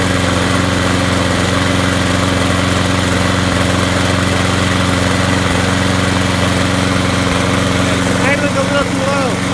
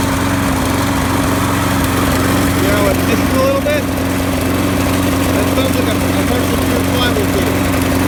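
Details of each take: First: Craftsman push mower (model 917.388950) with Briggs & Stratton 6.5 HP engine that ran rough, after replacing the broken flywheel key and rebuilding the carburetor. Steady, even drone with no hunting or stumbling; runs much better; normal running. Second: Craftsman push mower, Briggs and Stratton 6.5 HP, recently serviced with new plug and primer bulb; idles with an uneven, lumpy, wavering beat, running rough. Broken flywheel key suspected; flywheel key replaced and carb rebuilt afterward.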